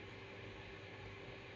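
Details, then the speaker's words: Acer Predator X27 monitor's original cooling fan set manually from near-silent to 75 percent: quiet hum with a thin constant whine from the small fan spinning fast; loud cooling fan whine. "like right now I don't think you can hear anything he's just some wish wishing noises but let it put manually to 75 can you hear it"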